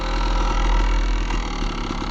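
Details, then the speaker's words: 1997 Kawasaki KDX 200 two-stroke after rebuild and rejetting: low, steady idle with a light metallic chatter, the normal power valve rattle, not a fault. "Got this thing jetted nice, and you can hear that power valve rattle. When I started it for the first time, I was convinced there was something wrong with the motor, that we had messed something up"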